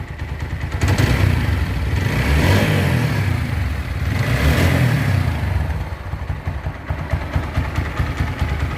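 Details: TVS Apache RTR 4V motorcycle after engine-noise repair (cylinder, piston ring, camshaft, rocker, clutch plate work): revs climb twice and drop back to a lumpy idle of about three beats a second, no obvious clatter over the exhaust.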